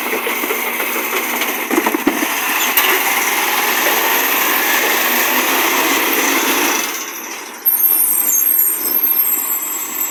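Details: Garbage truck diesel (1JF) roars loudly and harshly, then eases off, with a brief high squeal of air brakes; exhaust leak suspected, not confirmed.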